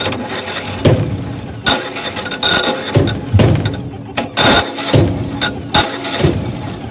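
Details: Older Generac (Centurion) 8.5 kW natural gas backup generator, about 15 years old with regular plug and oil maintenance: manual start gives repeated short starter bursts, engine cranks but never catches.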